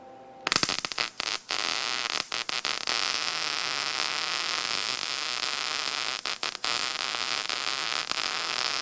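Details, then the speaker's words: Lincoln SP-135 Plus MIG welder after repair of an intermittently failing gas valve: steady even hiss of shielding gas flowing freely with a few clicks at start, where before nothing was heard; gas valve now opening normally. "you can hear the gas go there before we could hear nothing"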